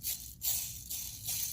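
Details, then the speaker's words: 2015+ Subaru WRX FA20DIT, engine pulled for a clutch change: old clutch release (throwout) bearing spun by hand gives a dry, gritty rasping rattle from rough races; it is being replaced with a new ACT bearing, clutch and flywheel. "So I'm going to go ahead and pull off this old bearing, which is obviously disgusting. Listen to it."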